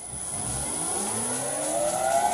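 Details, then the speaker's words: Vintage lathe motor on a new XYS-AT1 VFD replacing an old Allen-Bradley drive: clean whine rising smoothly as the motor spins up, faint high carrier tone, correct direction. Normal VFD motor whine. "But now this sounds good. And it even runs in the right direction."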